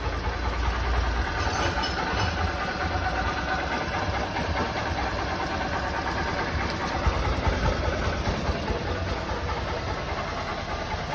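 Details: 2008 Honda Titan 150 single-cylinder after replacing a worn cam chain tensioner that caused a rod-knock-like noise: even idle, only light gear whir, no knock.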